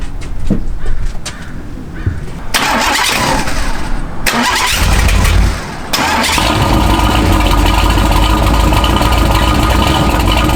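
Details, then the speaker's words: Classic Jaguar with Chevy V8 swap, ~420 hp, after cam swap, Holley carburetor electric choke cap adjusted a few notches for hard cold starts, recorded from tripod: cranks briefly, catches, settles into steady even high idle with deep rumble; healthy cold start. "all right it's time for a cold start I'm going to set you guys up on a tripod so you can hear"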